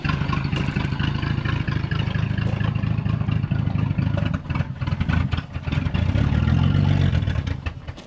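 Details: 1940 Plymouth Deluxe six parked about 65 years, started on 6 volts with crushed, clogged muffler and exhaust: low, slightly uneven idle then quick throttle blips; runs fine after storage.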